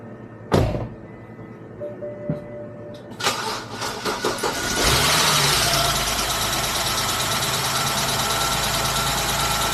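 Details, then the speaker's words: E60 BMW started after sitting about two weeks with the intake reinstalled and the dead battery charged. A few seconds of cranking catch into a steady, even idle with the cooling fan whooshing; a normal, healthy idle. "I'll let it run for a little bit and then I'll put it back on the charger not too bad the fans on the idle sounds pretty"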